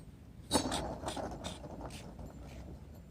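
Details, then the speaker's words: Hand-spun non-greasable mower deck spindle removed from deck, not rubbing on anything: dry, gritty rasp that slows and fades, dry worn spindle bearings. "it's not rubbing on anything you hear how dry the bearings sound and this is a new bearing to put in these"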